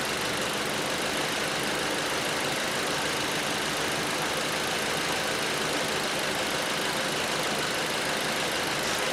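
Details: 2012 Ford Transit Connect that would not run after the customer replaced the harmonic balancer and the keyless crank lost timing; after retiming, it starts with a steady, even, smooth idle, no knocks or misses.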